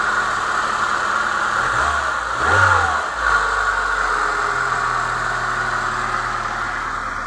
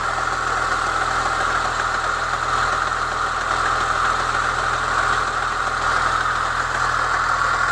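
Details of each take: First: Chevrolet Niva petrol engine that knocked when cold up to about 60°C near cylinder one, after the cause was found and an older part with a tightened spring was fitted: it idles steadily with no knock, with one rev blip. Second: Chevy Niva cold engine: dry metallic clatter near cylinder 1 from a new timing chain tensioner, heard until about 60 °C; refitting the old tensioner with a modified spring removed the noise.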